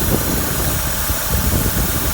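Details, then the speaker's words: Chrysler truck from a salvage yard at idle: loud, lumpy idle with uneven low thumps and shaking, as if about to stall; a vacuum hose is seen hanging loose and a vacuum leak is suspected, not confirmed. Transmission fluid looks slightly milky. "these trucks get very bad vacuum leaks oh my god you can just hear the back you move here in this road yeah Wow a loud one so it's probably a vacuum issue"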